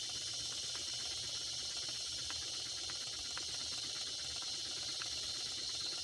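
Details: Circa-1946 Watt Victor electric-powered toy steam engine, after repair: a soft, constant steam hiss with faint ticks from the moving parts, running steadily and speeding up as temperature rises.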